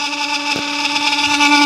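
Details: Mitsubishi Minicab U62T kei truck heater: a steady high whirring whine with a hissy edge, from a faulty blower motor that needs replacing.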